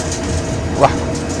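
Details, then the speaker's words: New Siemens washing machine: rough low rumble with rattling and a sharp clack, possibly from an object blocking the drain pump. "Bueno, pues esta lavadora Siemens tiene un ruido muy extraño."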